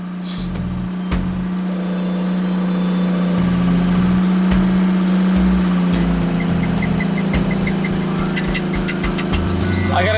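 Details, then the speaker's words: 1984 Pontiac Fiero Iron Duke engine after head gasket replacement, cold start at about 20s temperature: steady high-pitched squeal over the idle, fading slightly as it settles; slipping accessory belt, new belt planned. "As you can hear, the belt's a little ticked off here."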